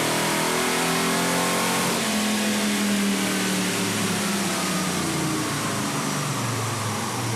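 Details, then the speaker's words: V8 sport truck (Chevy 454 SS or Ford Lightning) at full throttle on a chassis dyno after replacing a plug wire that burned on the exhaust and arced: clean, healthy pull on all eight, about 318 hp and 351 lb-ft at the wheels. "this thing was arcing out so we're gonna throw in a new plug wire see what this thing will do firing on all eight"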